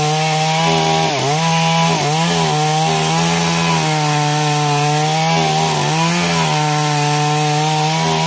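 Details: Stihl MS 382 chainsaw after no-start problem fix: holds a strong steady high rev with clean dips and recoveries biting into wood; runs healthy and responsive, normal running.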